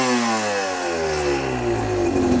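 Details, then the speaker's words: Cheap Chinese BNK 2-stroke enduro bike, just fitted with a V-Force reed block, back on the original carburettor with rejetting, not yet ridden. Crisp throttle blips rise instantly and fall back cleanly. Idle is slightly low; the mid-range seems cleared up. "Absolutely instant acceleration. Wow."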